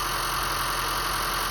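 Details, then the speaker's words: 2015 Honda Fit idling after its 90k service (intake manifold off, VTC spring replaced, valve adjustment, intake valves walnut-blasted, drive belt changed): steady, even idle hum with no ticking or misses, a normal healthy idle. "So yeah, everything sounds good."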